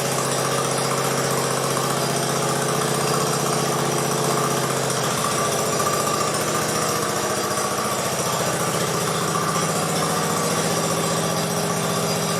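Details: 1969 Sunset Orange Patio tractor after rear end fluid change: single-cylinder engine holds a steady even drone without knocks or grinding, settling slightly lower midway; runs fine.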